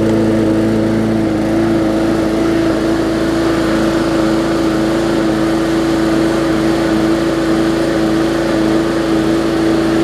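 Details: Bolens push mower with a Briggs & Stratton single-cylinder engine (classic or newer OHV), after no-start repair; carburetor gasket fuel-air mix problem suspected. Steady, even drone at constant speed, no misses or surging; running normally.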